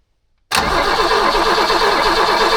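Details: Abandoned BMW E21 sat for years, first crank on weakly charged battery to test mechanical fuel pump: starter spins engine evenly at about eight beats a second but never catches; crank no start, fuel filter then found wet.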